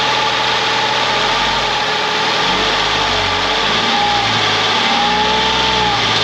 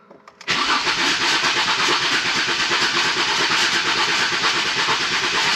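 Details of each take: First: Ford Mondeo ST220 V6, engine neglected in the past, first run after reconnecting breather pipes and vacuum hoses, partly reassembled; smooth idle with gentle blips rising and falling cleanly, no ticking or misfires; normal idle. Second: Ford Mondeo ST220, previously neglected engine stood unused for months, cranking with the fuel relay removed to build oil pressure before a compression test: starter cranks continuously at about three beats a second with an uneven, dragging rhythm; slow, labouring crank, starter sounds tired.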